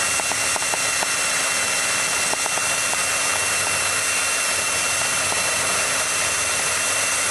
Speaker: go figuring out the right needle fit up with hardest part